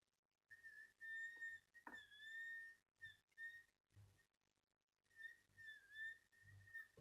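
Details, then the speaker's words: Miele S5211 vacuum cleaner motors side by side: the other motor gives a shrill, piercing whine in short bursts as it spins up and coasts down, while the rebuilt motor runs almost silent; noisy, failing motor. "so you can see in here a bit better what's those making horrendous noise this is mine no noise at all"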